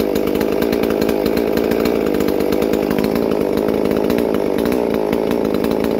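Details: Holzfforma MS 440 parts-kit clone chainsaw, freshly built with ported 52mm big-bore cylinder (~76cc), first runs before break-in: crisp steady high-revving buzz holding speed without bogging or sputtering; running clean and normal.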